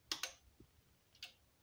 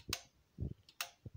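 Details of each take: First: Aging stereo amplifier, as the speaker selector switches between channels A and B: sharp relay clicks, with channel A quieter and then randomly louder; the worn channel A speaker protection relay is almost broken and needs replacing. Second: Aged stereo amplifier's speaker protection relays, heard while turning the speaker A/B selector: several crisp clicks, some with a dull thud, on a quiet background. Channels A and B click alike, so the relays are switching normally.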